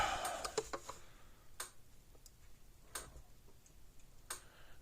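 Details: Gallagher S10/S16/S20 solar fence charger on 6.7 V supply, light sensor covered so it runs night mode: sharp dry clicks roughly every 1.3 seconds at its slow pulse rate.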